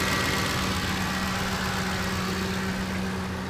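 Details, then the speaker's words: Ford 5.4 Triton V8 at warm idle after a timing chain set replacement. Smooth, even idle with a steady low hum. The injectors are noisy, and an exhaust manifold leak remains but is not audible here. Sounds healthy. "there is a manifold leak still so i mean i can't hear that right now but man that sounds good"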